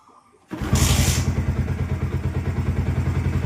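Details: Motorcycle suspected of E20-petrol throttle body problems and misfiring: a brief crank, then the engine catches and settles into a steady, even low thump at a quick idle. A normal start and idle.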